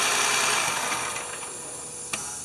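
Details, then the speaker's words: 2011 Toyota Sienna idling just after alternator replacement, battery reconnected and relearning idle, charging 13.96 V: steady, even idle with a light mechanical whir and no belt squeal or chirp; charging system healthy. "And we've had the battery disconnected, so it may take it a minute to learn its idle."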